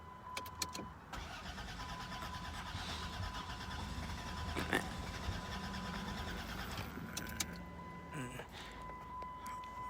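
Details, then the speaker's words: 2002 Dodge Grand Caravan Sport 3.3 L that died when very low on fuel and won't restart after adding five gallons; starter churns steadily for several seconds, sounds close but never catches; crank no start. "as you can hear it sounds like it's about to start but it doesn't please somebody out there man hit me back and let me know what I can possibly do to get this thing started"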